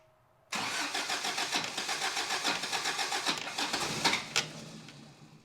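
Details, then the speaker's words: Toyota pickup, first start after engine rebuild with head gasket job: fast cranking that half-catches in ragged bursts then fades without idling; ignition timing off, distributor needs turning one tooth. "We're gonna need to spin the distributor one tooth. It's always a distributor issue. Darn distributors."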